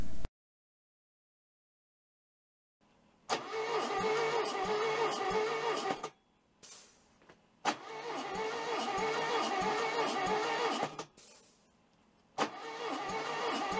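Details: Rebuilt VW 1641 air-cooled engine, compression test with gauge in spark plug hole after installing pushrods and rocker arms, readings thought to be around 100 psi; three cranking bursts with even steady compression pulses, no skips or drag, normal cranking.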